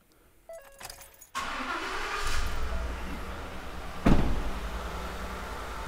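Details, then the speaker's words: Carnage Diagnostics misfire demo, V8 with ignition coil unplugged on cylinder eight: lumpy, uneven idle beat as one cylinder is dead from no spark. "so now I'm going to unplug this coil um and show you what it would look like with the coil"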